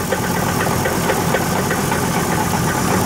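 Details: 2002 Ford F-150 SuperCrew at 137,375 miles, problem since Wednesday: idling engine with a steady, regular knock about five times a second.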